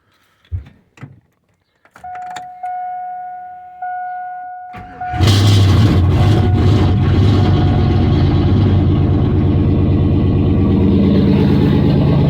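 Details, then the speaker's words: GM 5.3 V8 parts truck reportedly lost its rear main seal, leaked out its oil and started knocking: brief crank, then even, steady idle with no knock or tapping; normal start and idle. "that sounds healthy I don't hear no motor knock let me know what you think in the comments"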